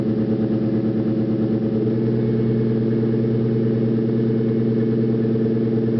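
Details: 2001 Ford Mustang GT V8 at startup idle; dull repeating knock about three per second under steady idle, a bottom-end knock; spun rod bearing suspected, not confirmed.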